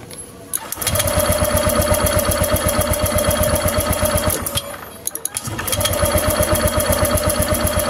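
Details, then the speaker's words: Honda Vario 150 scooter, died with no ignition: steady starter cranking about four beats a second, never fires; spark very small and intermittent. "itu nah itu Nah itu muncul apinya tapi kecil sekali kawan ya Nah terus kadang kadang muncul api kadang tidak ya"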